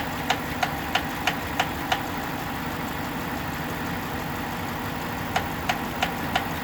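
Sharp, regular ticks about three a second ride over a steady idle, dropping out briefly then returning: an engine knock, cause unknown.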